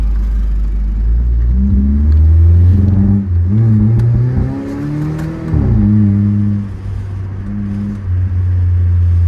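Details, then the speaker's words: 2004 Mitsubishi Eclipse GS 2.4 with cylinder 2 misfire code; revs climb then sag and stumble on acceleration, bogging under load; coil packs and plugs are suspected, cause unconfirmed: hesitation under acceleration. "still bogging down a little bit if you can hear it. Hear it bogging down."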